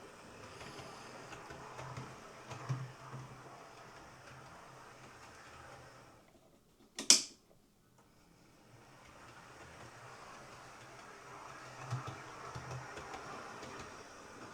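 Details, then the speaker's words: Hornby R3903 ScotRail Class 43 HST model locomotive after its squealing motor was replaced with a new one, test-run with the body fitted: a faint, even whir of the motor and gears with one sharp click partway, running smoothly and steadily. "Okay, power on. Away it goes."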